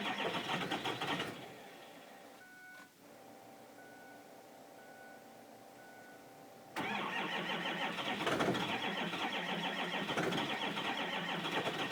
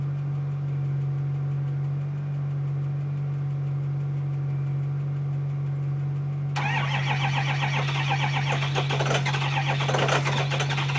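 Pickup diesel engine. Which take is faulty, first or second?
first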